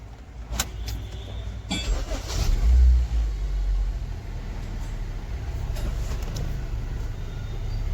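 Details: Suzuki SX4 petrol engine, sat 3-4 months, had long cranking, misfire and wouldn't rev on petrol; after fuel pump fix starts and settles into steady even low rumble, no stumbles or misses, check engine light gone.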